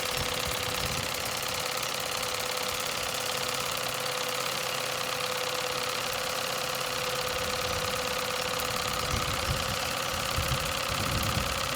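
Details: Nevadent water jet flosser (Lidl), on soft setting, emptying a full tank: steady, even pump buzz with a fixed whine around 500 Hz, no surges or knocks; flosser running normally.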